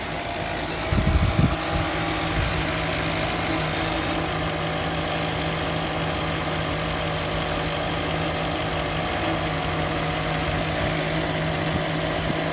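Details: 2003 Range Rover after sitting four days, after garage fitted new timing chains and guides: steady high whine over idle persisting while revving, from lower timing chain cover area; rough idle partly fixed, vibration on acceleration; cause unconfirmed.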